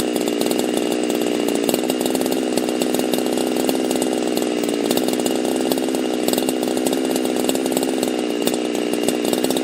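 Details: Husqvarna chainsaw fitted with a pop-up piston; steady high-revving buzz with an even firing beat, no stumbles or surging, running clean.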